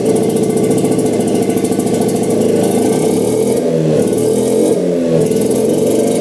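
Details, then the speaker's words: 1960s Hydro-Mite water-cooled mini jet boat engine after new spark plugs, restarted while adjusting the jet for idle: steady, even buzz with smooth rev rise and fall, no misses or knocks; healthy. "oh yeah sure idle you said to get a throttle cable hooked up but it is running great"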